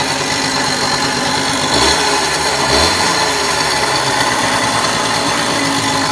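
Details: RV 50: small engine at steady idle with a thin, tinny metallic rattle over it; owner asks why it sounds so tinny, source of the metallic noise not identified.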